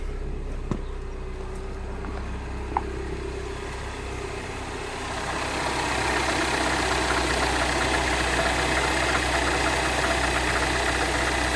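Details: 2010 Mini Cooper S 1.6 N14, idling after a fix to the crank/cam signals: even idle hum smoothing and rising slightly after a few seconds, no misses or knocks; removing the fix stalls it, faulty DME.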